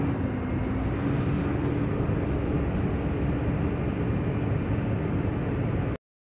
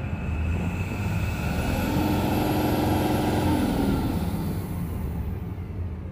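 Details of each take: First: Tata BS6 phase 2 Cummins diesel, no fault code, revs stuck around 600–1000 rpm: steady low idle that barely rises with throttle; fuel starvation from a completely kinked fuel line. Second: Tata BS6 Phase 2 Cummins diesel with complaint of not revving past 1300 rpm, no fault code: engine climbs smoothly to about 2500–2600 rpm and settles back, no stumble or flat spot; revs freely.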